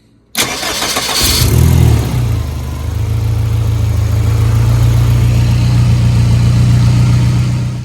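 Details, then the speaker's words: 1974 Fiat 124 Spider with a K-swap engine on its first start, coolant temperature rising. It cranks, catches and settles to a steady idle with a light ticking and chuff. The owner suspects exhaust leaks, noisy injectors or valves needing adjustment. "I do hear some maybe exhaust leaks, noisy injectors, noisy valves. I'm sure it could use a valve adjustment."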